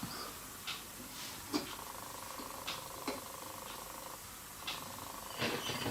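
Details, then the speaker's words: Ducretet Thomson record player, valves replaced, new speakers, first power-up: a quiet low rasping growl with a faint steady hum and occasional clicks before any record plays; the speaker growls and scratches, cause unclear. "Ah, alors le haut-parleur, il grogne. Ouais. Et ça gratte."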